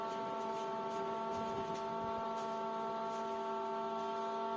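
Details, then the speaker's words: Intel CPU fan, soldered to an old router power adapter, spinning with a steady, even hum and constant whirring pitch and no rattles or scraping: normal operation. "I turned off my room's fan so that you can hear the wonderful voice of Intel fourth generation uh fan."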